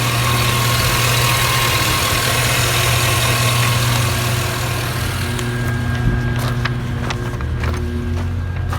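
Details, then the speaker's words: 2007-or-later Chevy 5.3L V8 truck after fixing a DoD lifter failure on cylinder four that caused misfire and knocking; oil changed. Steady, even low rumble at idle, no knocking or ticking, no check engine lights: normal idle. "alright guys thanks for watching the video on the truck ran great the process I showed you work perfect there the truck has tons of power it runs perfect there's no knocking no check engine lights everything turned out great"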